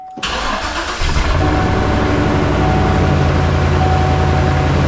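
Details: 2007-2014 Chevrolet Silverado 2500 HD after fuel pump module replacement, key cycled to prime fuel: short crank, catches right away and settles into a steady, even idle with no stumble; starts and runs normally.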